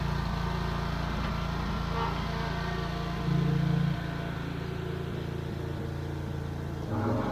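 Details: Wright Stander stand-up lawn mower that previously died and wouldn't stay running, now with the carburetor replaced (tank grommet still leaking fuel). Small engine holds a steady low drone with brief throttle swells, no surging or dying; running properly.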